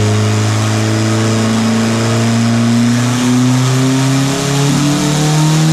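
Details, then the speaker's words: Honda fitted with a cheap aftermarket turbo on a dyno after fuel trim tuning, about 230 hp and 161 torque: strong, smooth engine note climbing steadily with no misses or rattles; normal full-throttle pull. "that sounded like a run right there boys holy crap yeah that's the run we're looking for"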